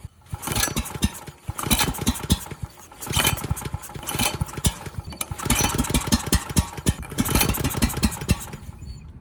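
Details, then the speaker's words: Ridgid 5700 W generator with freed seized Yamaha MZ300 engine, started on starting fluid, empty carb: fast uneven cranking in bursts with a few weak catches but never fires; low compression suggests a leaking exhaust valve. "Wasn't really starting with starting"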